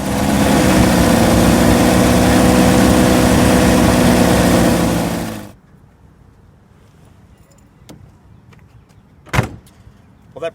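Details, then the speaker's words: 2001 Jeep Wrangler TJ 2.5L after tightening the loose exhaust manifold bolts: the engine idles loud and even with no puffing or ticking from the former exhaust leak, then shuts off, followed by a door thud. "much wraps up this video it looks like we've gone ahead and fixed that the exhaust leak is taken care of"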